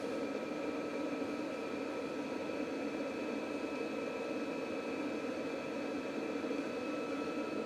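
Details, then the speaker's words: VEVOR 5/8 kW diesel heater installed in a van, up to temperature: steady airy rush with a faint constant hum like a blower at full speed, nothing rattling; fan motor louder than the pump, inaudible inside van; normal. "The actual fan motor is actually noisier than the pump, I reckon. And when you're inside the van, you can't hear it."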